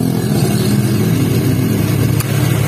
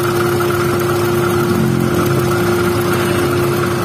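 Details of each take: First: First-generation Honda Brio, idling with AC on after fitting a new AC compressor bearing: steady, even engine hum, roughness gone, compressor running smooth; normal AC operation. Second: First-generation Honda Brio at idle with AC switched on: rough growl with a constant tone from the AC compressor as it spins, gone when AC is off and back when on; suspected rough compressor pulley bearing.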